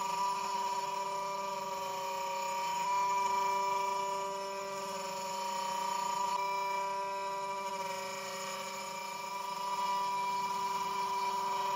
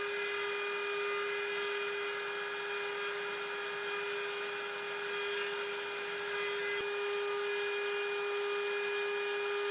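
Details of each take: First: Genmitsu 3030 PROVer Max desktop CNC with its stock 300W spindle cutting 20mm aluminum pockets, 2.5mm deep at 0.3175mm step-down: steady high spindle tone with faint uneven pulsing. The underpowered spindle chatters, leaving rough edges and a 20.7mm result. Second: Genmitsu 3030 PROVer MAX CNC with a Makita 1.25HP router in place of the stock 300W spindle, slotting 6061 aluminum: steady high-pitched cutting tone with no vibration or chatter, and the cut is cleaner.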